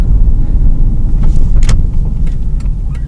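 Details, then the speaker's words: 2001 Ford Escape test drive after replacing both front sway bar end links (Moog K80296/Mevotech MK80296) that crackled and popped: steady low road rumble with no clunks, crackles or pops; a bad inner tie rod and power steering still make a little noise. "so the end links are now good and it and the actual noises went away"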